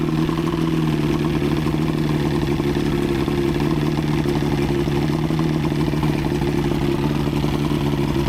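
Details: Outboard after head gasket job (prior overheat, head leaks), on water hookup: steady, even low drone with light mechanical patter, no misses or knocks, constant speed; running smoothly.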